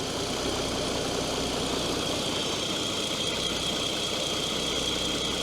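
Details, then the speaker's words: Opel Omega B V94 V6, first start after new valve cover, gaskets, coolant valve, ignition coil, spark plugs and leads: smooth steady idle, no ticking; earlier clacking after standing likely one or two hydraulic lifters, now gone. "Vielleicht war das jetzt ein, zwei Hydrostösel, die nicht richtig wollten, weil jetzt ist das Klacken weg."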